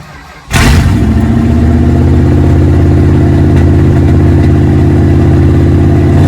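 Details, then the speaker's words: 1969 Plymouth Satellite V8, about 78,424 miles, newly bought project: fires up and settles into a loping idle with an uneven beat about three per second, rougher than the other day; cause not pinned down. "It's idling very not as it was the other day."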